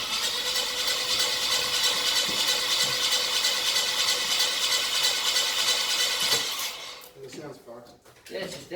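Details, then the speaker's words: Ford BF Falcon F6 Barra after a camshaft swap (old cams noisy, a roller suspected dead or dying): the starter cranks evenly at about three beats a second but the engine never fires, with no fuel smell; cranks but won't start. "didn't even try and fire up did you even hear the there wasn't any smell that fuel"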